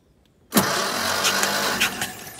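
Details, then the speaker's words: 1954 Armstrong Siddeley Sapphire 346, cranking on a newly installed reconditioned starter motor after a plate rubbing the flywheel was tightened: it spins evenly with good compression pulses and no scraping, far better than the horrible earlier sound. "so we've got compression which is very nice but it sounds so so so much better before that it was it was horrible"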